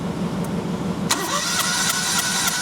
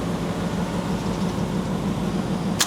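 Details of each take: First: 2006 Perodua Kancil (carburettor) with a reported sluggishness issue, compression test on cylinder 1. The cranking beat is even with no hiss and the gauge reads 125 PSI: no valve, head gasket, ring or piston leakage, so cranking compression is normal. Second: 2006 Perodua Kancil, cranking during a compression test of cylinder three at roughly three and a half uneven, lopsided beats a second; cylinder three has lost pressure, with a sticking valve or leaking gasket suspected; low compression in one cylinder.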